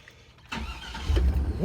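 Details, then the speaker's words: 1999 Chevy Suburban 1500 after starter replacement: brief, brisk crank and the engine catches quickly, pitch rising as it fires; the new starter turns it over much stronger than the old one. "that sounded nice that sounded a lot better than the old starter that one really kicked in"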